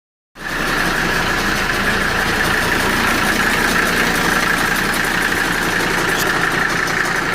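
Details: Mercedes W123 idling with steady rattling whir about four beats a second; attributed to bad fan clutch, not engine knock.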